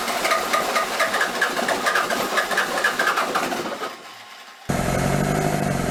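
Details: Toyota 3B 3.4-liter naturally aspirated diesel from a 1981 BJ60 Land Cruiser, sitting six or seven years, with air bubbles in the fuel: catches after glow plugs, clatters rough at first, then settles into a steady, even idle; runs fine.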